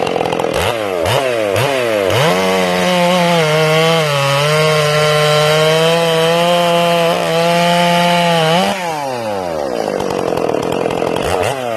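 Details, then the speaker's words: Ported Stihl MS461 on first cuts during break-in, carb tuned slightly rich, not full speed: the high revving tone drops and holds in the cut, with a burbling, uneven note as the chain enters and leaves the wood. The limited coil caps RPM, making it sound like four-stroking. "Now notice that you hear the saw 4-stroking as it enters the wood and as it exits the wood."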